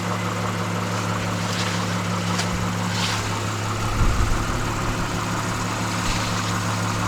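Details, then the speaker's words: Freshly installed engine at first start-up, no exhaust fitted, 8 codes pending drive cycle: loud raw but steady idle with even low drone and no stumble; sounds normal. "So hopefully when we start driving and do the whole cycle, all those codes will go away. But it sounds great besides the not having the exhaust on."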